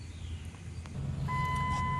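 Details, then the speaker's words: 2004 Dodge Dakota 4.7L V8 4x4 after replacing a new clutch fan that stayed locked and roared: reversing at idle, low quiet hum with reversing beeps and no fan roar. "okay so we're just idling backwards to get out of the yard and it's really quiet"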